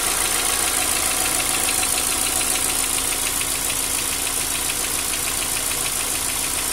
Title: Стук гидрокомпенсаторов.